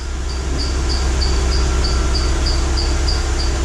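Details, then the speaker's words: 2012 Mercedes-Benz GL450 after rear air spring replacement, fuse reinstalled, engine started: air suspension compressor runs with a steady low drone to raise the car, no hissing heard; light belt chirp about three a second. Compressor running normally. "All right, let me come out. I can hear the air pump come on,"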